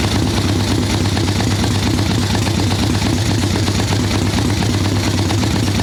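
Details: Harley ironhead Sportster XLCH chopper V-twin with Mikuni VM38 carb, cold wet day, choke off after warming on choke, fresh plugs: loud, lumpy idle with soft, soggy beat, "a little boggy, she's not happy"; mixture far too rich, needle/idle circuit being tuned.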